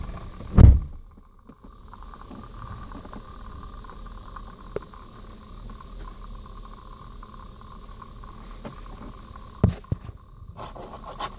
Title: Crux whining noise